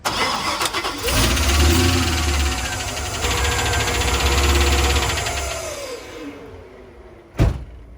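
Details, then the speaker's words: LS 5.3L V8 Camaro after it suddenly made a loud noise on a two-step launch at about 2,600 rpm. Idles with fast ticking, three or four taps a second, seemingly from the passenger valve cover area. Broken valve spring or rocker suspected. Engine tapping. "the engine just made this god-awful noise and it's just tapping like crazy I'm not sure if its bottom end noise it sounds like it's coming from the passenger top like valve cover area"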